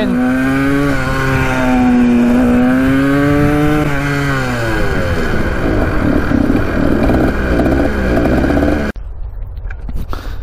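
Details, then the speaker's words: 1980 Kawasaki KDX 175 two-stroke dirt bike, first road ride after mouse nest was sucked into intake: raspy, slightly flat, uneven note climbing and falling under load; rider says it sounds lean, unconfirmed. "she was sounding pretty lean on that run"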